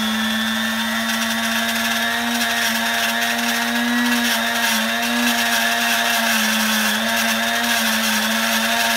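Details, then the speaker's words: Vintage Sunbeam Mixmaster stand mixer bought on eBay, first run after unboxing with the wrong bowl: harsh buzzing motor drone, wavering raspy pitch; motor running rough, cause unknown. "that sounds horrible and it's buzzing [Applause] yeah that does not sound very healthy at all so we have the wrong bowl and that motor sounds horrible"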